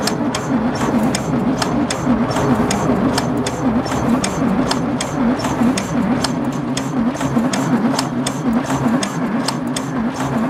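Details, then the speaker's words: 1966 VW Beetle flat-four cranking on a newly fitted starter, not catching; wavering starter drone with sharp clacks about three times a second. Owner suspects a valve issue and plans to check valve clearances. "I didn't hear anything either but I hear that clacking it's going to be a valve issue right there"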